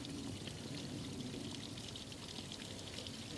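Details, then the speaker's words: Evinrude Starflight 100hp two-stroke outboard, engine off, mixed gas with TCW3 oil: soft steady trickle as the primer bulb is squeezed and fuel fills the carbs before starting; normal fuel priming. "so um I'll give her a good Prime make sure she's primed up"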